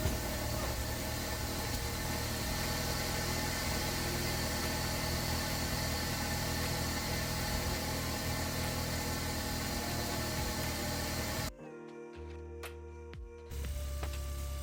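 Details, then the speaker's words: 2014 Hyundai Veloster Turbo with an aftermarket Forge blow-off valve and muffler delete, after control arm and transmission fluid replacement: even, steady idle with a deep raspy exhaust drone and no knocks or misses. The odd noise was an impact tool, not the engine. "So, it wasn't the engine. Okay. The engine is pretty quiet. It's pretty good."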